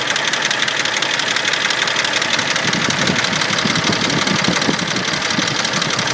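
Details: Mercedes-Benz M104.992 engine, hot idle: fast busy clatter of ticks about three a second from all 24 hydraulic lifters, fine when cold; fixed by an oil change with quality oil.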